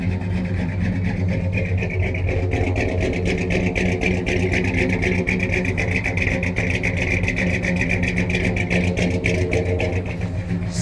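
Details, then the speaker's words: 1971 Dodge Sweptline big-block V8 after rear cylinders hydrolocked with fuel: lumpy, loping idle with uneven exhaust pulses and stumbles, still missing on about cylinder 7, plugs fuel-fouled, smoking; engine drowned in fuel from leaking carburetor needle and seat. "There, now she's cleaning up. Still got a miss. I think we got hitting on about 7 now. Man, she just drowned in fuel."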